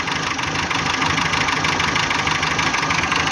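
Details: Renault K7J engine, 348,000 km: sharp knock about three per second over an uneven idle with vibration, power loss; not hydraulic lifters, valve springs and clearances fine, compression OK; sump to be removed, cause not yet found.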